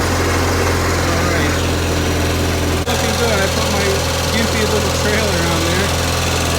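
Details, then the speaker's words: Onan CCKA twin in a Gravely 450 rider, first run after reassembly, light load: steady, even low putter, no knocks or misses, healthy; governor sluggish, throttle cable suspected, clutch linkage needs adjusting. "Onan sounds good."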